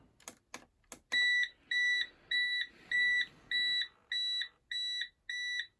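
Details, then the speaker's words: Bosch WFP3300 washing machine, first test wash after motor control board smoked: steady evenly spaced high double-tone beeps about every 0.6 s, no motor noise; fault 03 code during drain attempt, owner suspects the pump though pump blades turned previously. "I think that fault 03 is the pump, because pumping is what I would expect to happen next."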